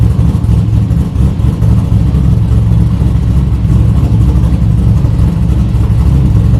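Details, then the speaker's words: 1972 Buick Skylark with a stock 5.3 V8 and aftermarket cam, running well: deep, even lumpy rumble, no knocks or ticks. The O2 sensor needs replacing, since the computer reads it as unplugged, and it should run even better after. "Man, this car sounds good. For just a stock little 5.3 with the cam, get that O2 sensor changed, it should run even better."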